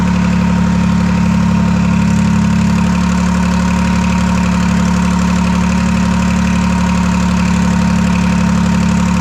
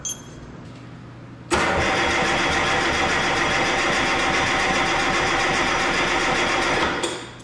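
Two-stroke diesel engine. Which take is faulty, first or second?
second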